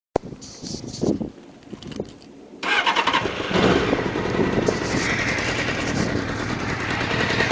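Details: Honda CBR600F2 after start-up: a fast, uneven rattling knock rides over the idle; cam chain tensioner ruled out, cause unknown, abnormal engine noise.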